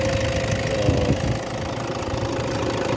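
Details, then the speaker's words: 2014 Toyota Fortuner 2.5 L D-4D turbo diesel, engine bay view: smooth idle with ordinary light clatter and steady hum, no rattle or uneven beats; healthy normal idle. "Ayan, yan yung tunog niya. So same siya ng engine ng Toyota Fortuner Thailand."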